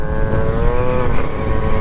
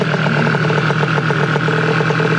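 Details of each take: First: Honda Dio/Elite 70cc scooter with Smart Carb, engine temps mid-to-high 200s, under throttle: pulls but breaks up with uneven burbling cackle, loading up; carb set too rich. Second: Two-stroke scooter with smart carb, only leaned out slightly: even, steady idle with a smooth, quick putter and no stumbles before switch-off; normal idle.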